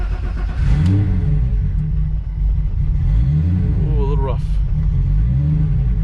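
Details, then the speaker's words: VR6-swapped car idling rough with a lumpy, uneven beat and one rev blip, after moving from 1400cc to 2400cc injectors that aren't fully tuned yet; ports were honed to fit them. "she's still on that big injector guy so and not fully tuned we jump from give her a little gas we jumped up from 1400 ccs to 2400 CC ejectors"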